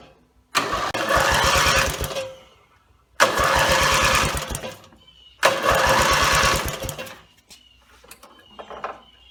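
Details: Rebuilt Briggs & Stratton mower (carb rebuilt and filling, timing dots aligned, valves seated, compression unknown) gives three long cranking bursts with a fast, even chug and no firing; gas later leaked from the muffler bottom, and the owner suspects a fuel-delivery problem.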